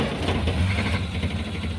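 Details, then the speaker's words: Car hard to start when hot: the starter had been clicking repeatedly and the engine only fired once it connected. Here it runs at a steady, even idle after a quick start. The cause is traced to a worn starter cable. "nah jadi kasusnya cetik-cetik cetik-cetik tapi enggak bisa dia cetekcetek saat dia ceteknya nyambung nyaut itu dia langsung menyala jadi Rahasianya ada di sini"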